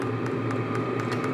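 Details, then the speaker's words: Portable diesel tent heater in a tool-chest case, starting up with glow plug heating: crisp ticks about four a second over a steady fan whir; the fuel pump is clicking normally. "you can hear it clicking let me get quiet for a minute so you can hear it that is the fuel pump"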